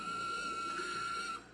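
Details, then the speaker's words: Miniature DC motor from an old Mr. Christmas Santa's Marching Band, spun at two volts in one direction on the bench, gives a thin, steady, high-pitched squeal; a dry or binding bearing is suspected, unconfirmed. "so there we go it does turn so that's two volts and i am spinning ooh that sounds horrible i don't know if you can hear the squeal"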